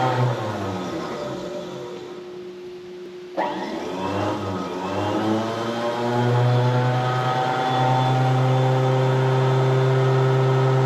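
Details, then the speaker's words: 1970 Johnson Skeehorse snowmobile, two-stroke, loud original muffler, started via solenoid button: thin starter whir spins about three seconds before it bites, then the engine catches and runs loud and steady; delayed starter engagement. "I gotta push the solenoid button so the starter to spin, and the starter spins for a second, and then she finally engages."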